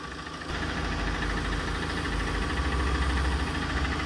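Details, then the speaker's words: Tata 2.2 diesel 140 hp before repair, after cam sensor replacement: idle with loose hollow knock about four a second, piston slap; engine had likely overheated from a coolant leak, later overhauled with cylinders rebored and two pistons replaced. "เสียงอดังดังเหมือนลูกถลกอ่ะทดสอบวิ่งเทสนะฮะก่อนแก้ไขอ่าพวงมาลัยเอียงเลยนะเนี่ยแล้วก็แอร์ไม่เย็นนะครับเปิดแอร์อยู่แอร์ไม่เย็นเสียงเครื่องมีดังแก๊กๆๆๆๆๆๆนะแต่วิ่งได้ปกติ"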